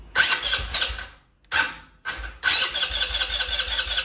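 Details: New 2021 KXD Renegade 200cc ATV, first start after unboxing: two short cranks catch, then the engine settles into an even, steady single-cylinder idle with no knocks or misses; normal cold start.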